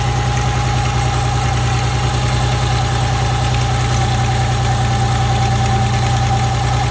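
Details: Nissan Z31 300ZX engine after teardown and retightening of loose intake manifold bolts; steady, even idle with a low thrum and faint regular pulse, no knocks or misses.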